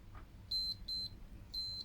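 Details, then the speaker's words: Continuity test in an HDMI matrix remote control, from the track of the driver chip to the LED: four crisp, high-pitched beeps as the probes touch. The LED connection is confirmed good. "Again, you hear it. And you can see it. So that's connected correctly."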